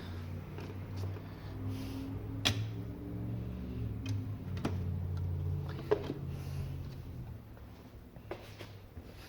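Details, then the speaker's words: Bose AWRCC1 radio CD player: faint drive whir with irregular sharp clicks every second or so as it hunts and keeps skipping while trying to read the disc; failing control board capacitors suspected. "So it's trying to read, but you can hear like it keeps skipping. Could be a bad capacitor."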